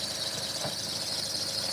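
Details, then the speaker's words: 2014 Chevy Cruze 1.4L turbo after water pump, aluminum thermostat and coolant housings, intake manifold and valve cover replacement: a thin, steady high-pitched belt squeal over the running engine. It squealed before too; owner thinks residual water on the belt. "I hear a little squeaking coming from that belt still, but it was doing that last time. That's probably from residual water that's still on the belt."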